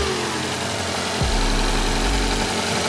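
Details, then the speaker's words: Rebuilt Toyota 4A-GTE for AE86 (new 8.9:1 OEM pistons, rings, bearings, ARP rod bolts, oil pump, deglazed block) on first break-in run; light quick ticking over steady idle, valvetrain clicky from the light oil. "pretty clicky because of the light oil of course"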